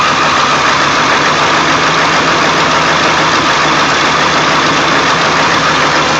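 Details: 1999 Ford F350 7.3L diesel, cold start after sitting for days, plugged in overnight, no check-engine light: loud idle clatter with an uneven lumpy pulse about two beats per second; rough, smooth after restart; cause unknown.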